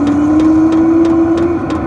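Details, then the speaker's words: Vevor diesel heater from Amazon at start-up: steady even blower rush with faint tone creeping slightly higher in pitch, jet-engine-like fan spinning up; blows cold air for two to three minutes before heating; normal. "as soon as you turn the machine on as soon as you press the button it turns on and starts heating it sounds like a like an airplane like a jet engine it's going to take off"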